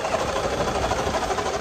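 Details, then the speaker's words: Turbo vehicle in hot weather near Drumheller, Alberta, heard while running warm; a fast, busy mechanical rattle at a steady pitch over the engine; cause unconfirmed, and the owner suspects the turbo is failing; abnormal mechanical rattle. "i don't know if you can hear that that doesn't sound good oh my god sounds like the turbo's getting ready to"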